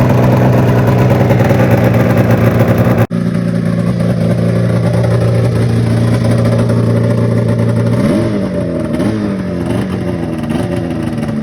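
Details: Polaris Fusion 900 snowmobile that had kept starting then shutting off, now repaired: a loose flywheel inner ring had chafed through a wire. Steady two-stroke drone with clean throttle blips and no cutting out; healthy running.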